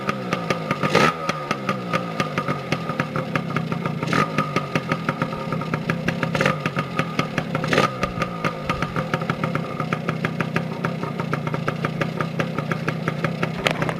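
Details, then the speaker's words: 2002 Yamaha PW80 two-stroke after sitting more than two years, with the oil pump removed, just started from cold. Crisp, even ring-ding idle with light blips, firing cleanly: a normal, healthy idle. "But yeah, she's a good little runner, quick little peppy bike. I'm impressed for an 80, yeah."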